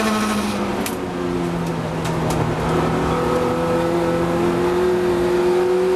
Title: Strange noise from the Compact in the race at Brands